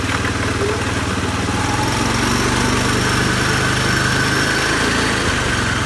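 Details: CFMoto 500 2A after going through water: steady idle with an odd rhythmic whirring buzz from the belt drive area; abnormal CVT (variator) noise, cause not confirmed.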